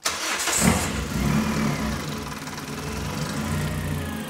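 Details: Budget engine-swap car started using the Yaris key transponder trick, checked for heater hose leaks: a quick crank, then it fires right away, flares briefly and settles into a smooth, even idle without misses. Check engine light off; normal start and idle.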